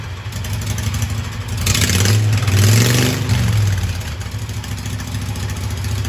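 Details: Hydro Husqvarna mud mower with new dual side exhaust made from pressure-washer-cart pipes: small engine revs up smoothly and settles back, even firing, fairly muted exhaust; quieter than before, running healthy.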